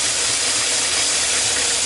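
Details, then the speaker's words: RV fresh water system during sanitizing: the hot faucet gives a harsh hissing rush of spurting air for two seconds; the pump gives weak pressure on hot but not cold, and the source of the air is unknown. "Sounds like air. Yeah, it was air. I don't know where it's getting air from."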